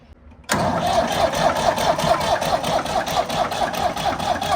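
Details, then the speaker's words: Old Ford diesel tractor on jumper cables after fuel system cleaning, injector lines cracked for bleeding: even laboured chugging as the starter turns too slowly to fire. "Alright, it's not spinning fast enough."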